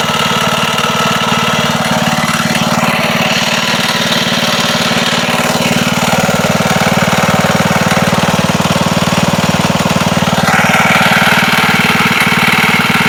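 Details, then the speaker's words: Wisconsin single-cylinder engine that sat a long time, running with a loud rattly beat and hard knock; slight play felt in the rod at the crank, likely rod knock; also leaks oil and fuel. "Don't know if you can hear that on the video, but it sounds like there's a slight bit of play in the rod down at the crank, and that would probably be the knocking when it's running."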